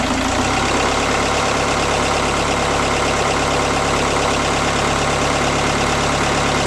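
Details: BKD diesel idling cold with a lumpy, uneven beat and no steady rhythm; rough cold idle.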